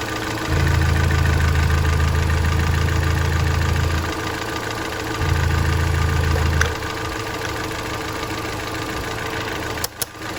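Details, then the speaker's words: 2013 Hyundai Elantra GT hatchback, before oil change with BG additives: two revs over idle with light quick ticking, mainly on acceleration, idle seems fine; possibly sticking lifter. "so as you guys can hear it does have some pretty bad uh some ticking uh it mainly is when you're accelerating other than that idle it seems to be all right"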